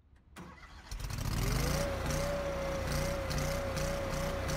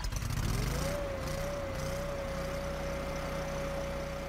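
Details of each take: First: Kohler engine started after ECU reset with TPS off by 7.4% (max TPS 48.4% vs learned 55.8%): catches then idle hunts and wavers about three times a second until idle-down solenoid activates; unstable idle from uncalibrated throttle position sensor. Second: Kohler engine after ECU reset and TPS learn, throttle position calibrated: catches, revs briefly, then settles into smooth steady idle with even tone; runs better once TPS is learned; normal idle.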